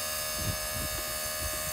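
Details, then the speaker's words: Leed Brakes Black Bandit electric vacuum pump on a Silverado with Comp Cam 54-454-11 that robbed brake booster vacuum; pump kicking on and pumping air, steady quiet electric hum with light buzz, no knock or rattle; normal. "But let me turn it on so you can hear it. Not very loud. So you'll hear this kick on, it's the pump pumping air."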